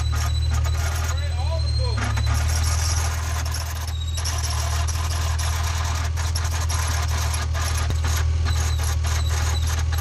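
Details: Honda NSX at idle: thin, steady high squeal riding over the even idle; belt slipping with voltage drop, traced to a worn, gritty idler pulley.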